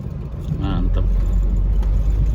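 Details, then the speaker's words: Ford with an automatic transmission, test driven at a junkyard with the AC running cold: steady low road rumble and smooth, even drive with no slipping flare or harsh shift thumps; healthy automatic transmission. "Enak. Masih jos. Maticnya oke."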